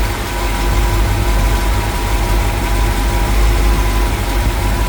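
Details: 1977 International Scout II with rebuilt engine and aftermarket camshaft; deep, steady V8 idle with an even low rumble and no knocks or ticks; no leaks, sounds healthy.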